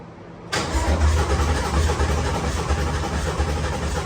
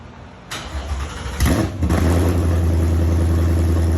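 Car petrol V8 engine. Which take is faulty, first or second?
first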